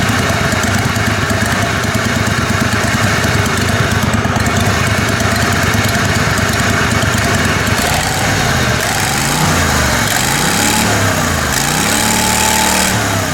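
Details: Kohler Command Pro 27hp lawn mower V-twin after head gasket repair, muffler baffle removed (possibly part of gasket failure): loud steady open-exhaust drone, easing up and down slightly; normal running.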